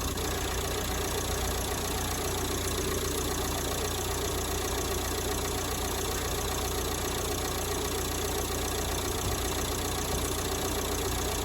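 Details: 1990s Ford Transit Mk5 2.5 DI turbo diesel, started after years sitting abandoned: uneven, ragged clatter with a loose, irregular beat, barely catching and struggling to stay running; hard starting and rough running.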